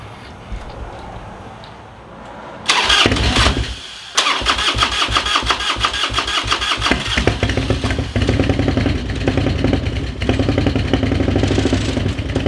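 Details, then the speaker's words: Rebuilt burnt Harley-Davidson bagger: catches after cranking, then runs lumpy and uneven with skipping beats, a clear misfire, kept running by squirting fuel into the throttle body as fuel pump isn't working; owner suspects a lifter not pumping up. "i think one of the lifters isn't pumping up it's i don't know if it's stuck because it's it's running rough"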